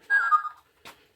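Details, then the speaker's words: Lionel LionChief Plus GP38 locomotive converted to battery power, with a 15.2 V lithium-ion battery car switched on: a single high, falling half-second chirp then a faint click as the receiver powers up normally. "we got 15.2 volts coming out of the battery car and i do hear that distinctive chirp and i can see the lights uh blinking on the on the unit here"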